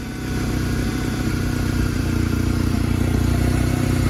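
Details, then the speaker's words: Truck with 215,936 miles, warm, valve cover gasket recently done: steady idle with a faint, quick, even ticking over the exhaust beat; slight top-end tick, cause not pinned down. "I love this truck. You can hear a slight tick."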